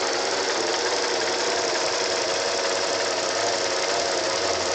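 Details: 1988 Acura Legend engine making an unexplained noise: a steady idle with a fine, even, rapid clatter over the engine note; the cause is unclear.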